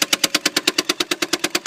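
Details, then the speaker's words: 1983 BMW 633CSi (E24), ignition on with engine not running: sharp, even clicks about nine a second from a small box under the hood, which stop when the brake is tapped; source unidentified. "this annoying little box right here I do not know what this is but this seems to be the noise where it's coming"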